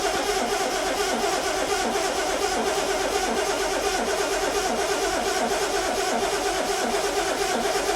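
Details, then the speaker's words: Six-cylinder engine with mechanical fuel pump, distributor and new ignition parts, choke out: steady rhythmic starter churning about 85 beats a minute without catching; long cranking needed as the empty fuel filter primes. "It's going to take a bit of cranking because that fuel filter's empty. Yes. So we're gonna have to. It's a mechanical pump. It's going to take a bit of cranking up."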